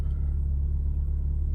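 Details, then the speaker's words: 1986 Peugeot 505 Turbo (N9T engine), unstarted several weeks, new battery fitted: smooth even low rumble at idle, no misses, knocks or ticks; healthy idle. "She's obviously liking that new battery."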